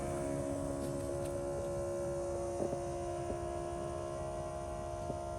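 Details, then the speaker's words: Borrowed electric transfer pump, powered by an F-150 battery, draining old gasoline from a 1997 BMW 740i fuel tank: an even, steady hum at one pitch with a few stray clicks; working normally, though slowly. "there we go it's not super fast but it's working yeah we'll get this all drained out"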